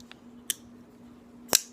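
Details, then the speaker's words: Flipper knife with ceramic bearings and ceramic detent: a few crisp, clean snaps as the blade flicks out and locks, no grit or drag; very smooth, healthy deployment action. "It's got ceramic bearings. It's incredibly smooth. It has a ceramic detent and ceramic bearings"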